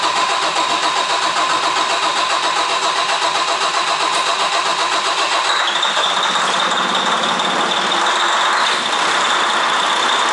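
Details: Detroit DD15 diesel truck after fuel pump reinstall and timing, fuel system pressurised with 100 psi to prime: steady starter churn, about four compression pulses a second, for ten seconds without catching; long crank, engine not firing.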